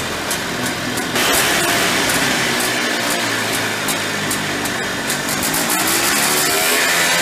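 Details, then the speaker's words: Early-1990s Polaris Trail Boss 250 two-stroke ATV, carburetor clean, before crankcase seal replacement: high buzzy revs hang and wind out instead of dropping to idle; suspected crankshaft seal air leak (flywheel or clutch side). "You could see when I let off the throttle, you could hear it kind of wind out. I'm pretty sure it's got an air leak."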